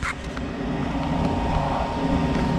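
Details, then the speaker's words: Amana 80 SV Air Command furnace that wouldn't start, recently replaced vent motor, safety switch jumped: low even hum spins up smoothly without rattles or scraping; normal inducer vent motor startup before igniter glow. "first things happen vent motors to start sounds good"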